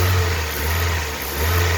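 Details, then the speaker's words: Hyundai i20 mk1 petrol engine after misfire diagnosis and service, revving smoothly and evenly with nice power, no stumble; car now running well, fixed. "See, now the car is running nicely, right? The car is having nice power,"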